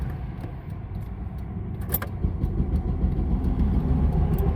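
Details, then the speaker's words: Volvo work truck with recurring no-fuel failure: starter cranks steadily at a quick even rhythm for seconds but the engine never catches; no fuel, dead again. "Well, days and days and days of just fine, and now we are dead again. No fuel. Dead."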